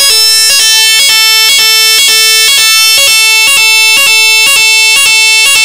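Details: AVSU PZ fire alarm sounder, opened up to show its five terminals, sounding on battery power: loud shrill two-tone pulsing alarm at about two beats per second, clean and steady; the sounder works as it should.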